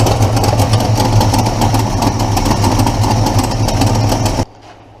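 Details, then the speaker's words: Engine after replacing the exhaust header gasket: running with a rapid puffing tick about four per second on the exhaust note; upper ports sealed but every lower port still leaks, one header flange has a missing chunk; exhaust manifold leak. "Sounds like I still got a leak on this side, so I better pinpoint that. It's all sealed up top, but every single lower port is leaking."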